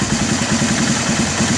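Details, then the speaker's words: Honda ATV TRX300 single-cylinder engine, carb cleaned after sitting 5 years, idling with an even putt about eight beats a second; idle sags as the mixture screw is turned in and it runs lean, then backed out to smooth. "there we go that means means she's getting a little bit lean so I'm going to back it out a little bit until it just Smooths out"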